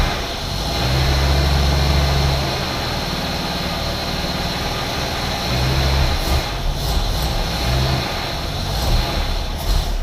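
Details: 1981 AMC Eagle sedan just brought back to running: steady low idle with a slight irregular unevenness; idling better after distributor advance adjustment, but timing is probably still off.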